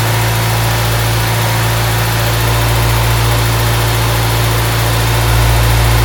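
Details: Honda Civic EG Mugen hatchback four-cylinder idling just after valve seals, timing belt and water pump replaced, timing and distributor set, before coolant top-up and bleeding: low, even idle hum with steady beat, no knocks or ticks; smooth and settled.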